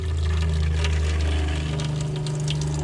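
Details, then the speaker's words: 2002 Dodge Roadtrek 190 Popular Class B RV water pump switched on during winterizing: strong steady low drone stepping up in pitch midway as flow changes, water rushing; pump running normally, pushing pink antifreeze through. "Alright, turn on my water pump. I can hear it."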